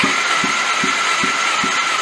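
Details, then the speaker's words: Homemade side-by-side engine during compression test before winter overhaul: starter cranking with soft even pulses, no firing; cylinders read 60, 60 and 50 psi, heavy carbon deposits and water found; this cylinder worst. Low compression. "wow that sounds real bad really dumb in that that's the one that uh trying to have the worst compression"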